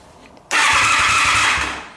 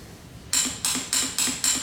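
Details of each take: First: Motorcycle whose starter clicked without cranking, after starter repair: two short bursts of cranking catch and run, then clicks and handling noise; the starter turns the engine over and it fires normally. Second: Motorcycle that makes a click-click noise but won't start: five sharp metallic clicks about a quarter second apart with no cranking, from a starter solenoid with burnt contacts, before repair.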